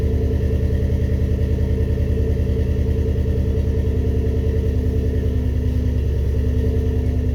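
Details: First start-up after rebuilding the cylinder heads: even, steady low rumble with a regular firing beat and no knocks or ticks, settling into a smooth idle; normal.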